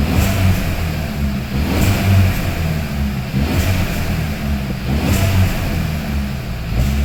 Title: 1.4 T-GDI rachot - engine rattle sound Hyundai i30 KIA CEED